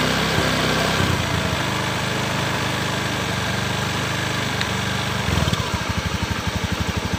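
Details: Honda Beat PGM-FI scooter with a stuttering complaint, engine being checked for induction in the wiring: steady idle with no stumble or misfire, then an even pulsing beat; running normally at this point.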